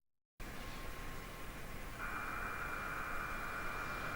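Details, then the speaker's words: Well-greased electric motor bearing heard through an ultrasound probe: only a soft, even hiss, nearly silent, with no crackle or impacts; reduced grease film would instead produce shocks. "Le moteur, quand il est bien graissé, on n'entend pratiquement pas."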